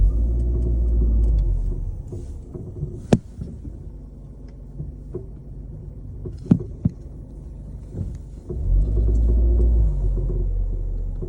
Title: Car clunking noise. #mechanic #car #suspension #annoying #garage